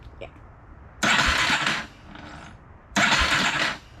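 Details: 1987 Yamaha Warrior 350 single cylinder after long storage, newly installed aftermarket starter, jump-charger assisted: two brisk, even cranking bursts with no grinding or clicking, spinning freely. Normal starter cranking.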